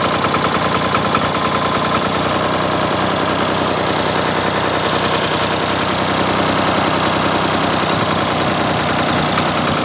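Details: Ford 4000 three-cylinder diesel tractor after replacing the faulty front injector; even diesel clatter at idle, steady loudness, no missing beats, now firing on all three cylinders: normal idle after repair.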